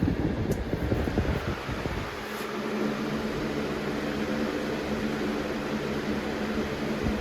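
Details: 2005-06 Lasko Premium box fan model 3723 switched to medium: after handling noise, smooth steady airy whoosh with even hum; normal running on medium speed.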